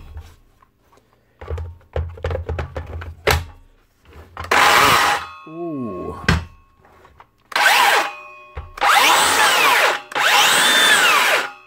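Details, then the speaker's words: DeWalt 54V circular saw, suspected failed bottom motor bearing (standard 6002 bearing, replaced); motor spins up in short bursts with rough gritty grinding that comes and goes, only sometimes; owner thinks bearing rather than gear; motor bearing failure. "it's either aarian or a gear of course she only making that sound sometimes and not all the time I'm going to say it's probably a bearing"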